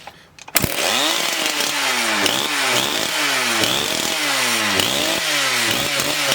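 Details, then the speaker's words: Husqvarna 272XP two-stroke chainsaw running again after repair. It revs up and drops back about once a second with clean pickup but stammers on the top end: the carburetor high-speed mixture needs tuning. "stammers a little bit on the top end because it needs to be tuned in but I"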